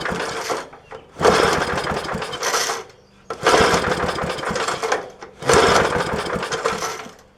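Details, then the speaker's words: 1966 Briggs & Stratton lawnmower engine at its first start in many years, with fuel poured down the carburetor throat. Three short popping bursts of about two seconds each, catching on the primed fuel then dying: engine fires briefly then dies. "so falling off my blocks hmm that sounds promising"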